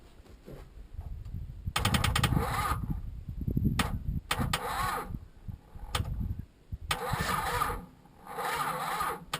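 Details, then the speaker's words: Chrysler Valiant VJ, sat in a paddock for 25 years, first start attempt: irregular starter cranking with a few weak, uneven catches that die away, no start; a really bad earthing problem suspected. "that sounded that felt like a bar [Music] i think this thing might want to go i just think i've got a really bad earthing problem here"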